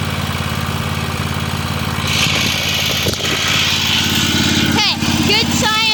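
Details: Free Weed Eater tractor's Tecumseh twin-cylinder (TVT691) warming up on its first run after oiling the cylinders, new oil and oil filter, and refitting the plugs: a steady, busy note that holds even and smooth as it revs up; normal running.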